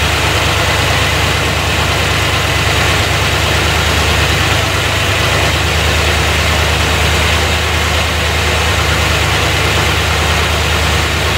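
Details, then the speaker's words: 1990 C4 Corvette V8 idling right after first start following rebuild (heads reworked, new head gaskets for prior leak, valves adjusted, new fuel pump, cleaned tank); steady even idle hitting on all cylinders, no misses. Timing set by ear, not yet with light. "But she starts up really good. Sounds like it's hitting on all cylinders, which is good. The way I adjusted the valves, I mean, they sound right. She started right up."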